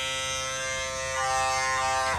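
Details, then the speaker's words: Andis Cordless Master clipper: harsh, high, steady buzz far louder than normal, then cuts off; excessive motor vibration, owner suspects small ball-bearing wheel, quieter when front cover pressed, cause unclear. "i don't even know if you can hear me on the camera over this but it is really loud i wish i could fix it um not sure what's wrong with it"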